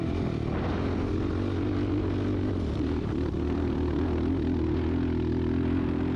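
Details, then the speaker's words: Built Yamaha YFZ 450R on dunes under load; drone sags and struggles to pull before steadying, bogging because it was running rich, later fixed by dropping Vortex setting from 666 to 655. "right here you can hear it kind of bogging down, and at that point I realized it's running pretty fat."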